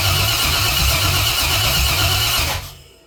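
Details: 68 Cadillac hearse with LS 6.0 V8 swap, no oil pressure, after coil pack and spark plug wire replacement: starter spins at an even pulse, about three beats a second, but never fires; crank, no start, cause not identified here.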